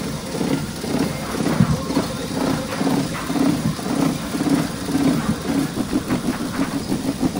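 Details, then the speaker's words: Customer car with misfire ("palyado"), heavy vibration and hunting, breathing idle, pungent exhaust smell as fuel not burning well, new spark plugs; uneven lumpy loping idle; misfire. "Start ulit Kung mapapansin niyo sobrang vibration nung artist tapos yung andar niya hihinga-hinga."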